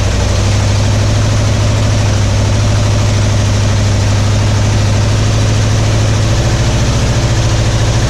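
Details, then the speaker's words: 1961 Mercury Meteor V8 first start in decades on carburetor cleaner, new ignition parts and coil: heavy rapid rhythmic knocking over the idle; bearing knock from no oil pressure, oil pump shaft under distributor found broken. "But yeah, it ran, but didn't have no oil pressure. I was like, what's all that noise? And it makes sense now. We found that the oil pump shaft under the distributor was broken."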